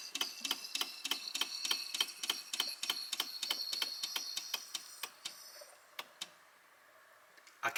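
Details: Electric SU fuel pump, cold car with 1296 cc engine and Weber DGAS carburetor, fuel system just completed and engine not cranked: quick even ticking about three per second that slows as the float bowl fills; normal priming.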